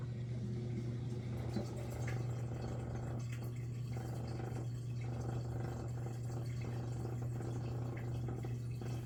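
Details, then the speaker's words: Miele G6625 dishwasher, bought April 2018 (about 7.5 years), owner hears loud grinding from circulation pump motor at bottom, filter and non-return valve clear: steady low motor hum with water gurgling and trickling; drain pump pumping out normally. "It definitely does sound like it's coming from the bottom of the unit where the motor is. But it does drain just fine."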